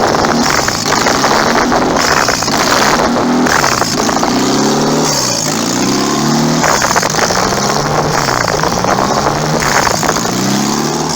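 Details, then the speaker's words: Budget turbo Honda Accord, no wastegate, running with essentially no exhaust fitted: loud, raw rasping roar surging with each throttle blip. "all right don't have any exhaust really so we're not gonna drive very far"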